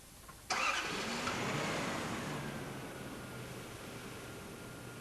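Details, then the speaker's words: Toyota TCCS engine after the throttle position sensor IDL contact was readjusted: a quick crank, then it fires and settles into a calm, steady idle. Idle speed is back to normal and the diagnostic code reads normal. "and the idling speed is also back to normal."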